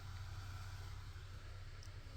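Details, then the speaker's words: LG inverter washing machine BLDC drain pump motor, three-phase, 26 V, 0.8 A, 20 W, driven by an inverter simulator. Quiet steady low hum with no clicks or rubbing, spinning freely: normal running. "Este probador es compatible con este tipo de motor VLC de 3 fases de 26 voltios. Aquí ya arranca, suena,"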